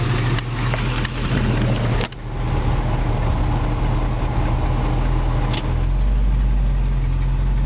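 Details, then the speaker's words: 1970 Mustang Fastback with a 351 Cleveland four-barrel, hood up at idle, with the rebuilt A/C compressor engaged and blowing cold; even low idle with a steady hum, no knocking or squealing; the compressor sounds healthy. "now you can see the compressor is going and it does blow cold"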